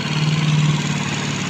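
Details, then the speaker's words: Yamaha Mio GT scooter after two months of hard-starting and stalling, fixed with genuine parts after repeated throttle body and injector cleaning: steady even idle, no misfire, scanner idle 1500–1600 rpm, to be readjusted. "Ya, syukurlah, semuanya sudah kembali normal."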